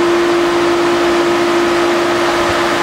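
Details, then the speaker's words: Pool pump restarted after cleaning the basket and refilling the pipe, lid tightened, main drain opened: loud steady motor hum over rushing water as the pump catches its prime. "now we're going to go ahead and we're going to start our pump and as soon as we start it we're going to open up our main drain so it'll start to ramp up as soon as you hear it run open your main drain and it should start climbing up"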